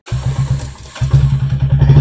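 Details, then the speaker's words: Royal Enfield BS6 J-series single after running without engine oil, oil refilled and timing and tappets set: starts on one press, even thumping about eight beats a second with a faint tick, much reduced from before and fading. "देखिए bike तो start हो गया एक cell में लेकिन engine को देखिए य ठीक ठीक का साउंड अभी भी थोड़ा थोड़ा आ रहा लेकिन पहले क्या था काफी ज्यादा साउंड आ रहा था"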